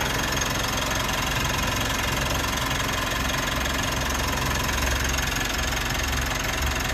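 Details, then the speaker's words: 3rd-gen Mitsubishi Montero/Pajero Sport diesel, first start after weeks sitting, battery 14.1 V; fires up normally, steady even idle clatter with no misses or odd knocks; normal idle. "Let's see if it'll start. So, well, starts normal as usual."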